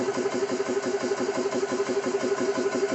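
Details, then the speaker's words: Xisico CS3 4500 PSI 12/110V portable compressor, first startup after oil fill, bleed valve open running unloaded, shutoff 4500 PSI, rated about 75 dB, oil level fine: steady pumping about three strokes a second, no knocking; normal running. "So compressor's running. They say it's about a 75 decibel for sound value here."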